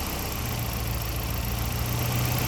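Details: Ford Sierra RS Cosworth after four new injectors cured a hot-start fuel-pressure drop caused by leaky injectors; fuel pressure being adjusted to 3 bar at the regulator. Warm idle with an even, steady low hum and no stumble or miss. Idle is normal.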